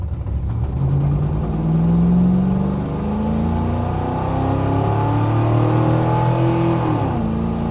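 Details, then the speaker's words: 1971 Plymouth Satellite 318 with a Thermoquad carburetor, after the choke pull-off was moved from the wrong vacuum nipple: the V8 pulls smoothly and strongly up the revs with no misses or hesitation. Normal acceleration. "Now it just runs pretty sweet. Like, it's what I wanted. Just listen to that sound of Thermoquad power."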